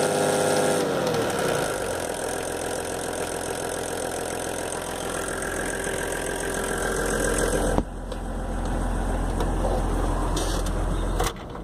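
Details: VW LT 28 with S1 diesel engine at idle: steady tapping about four per second over the diesel clatter; vacuum pump suspected.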